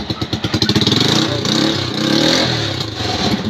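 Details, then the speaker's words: Motorcycle that died when the horn was pressed, after wiring repair and road test: engine picks up cleanly through short blips and settles without stumbling or cutting out; fixed, running normally. "Testing na natin kanina, namamatay ito pag binubusina eh. Ayan, okay na."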